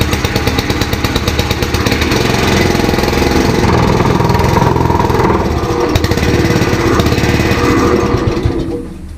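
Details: Ditch Witch 3500 trencher, long-stored with water drained from the fuel tank, started on choke with a little throttle: the single-cylinder engine chugs loud and steady, then cuts out. It runs fine.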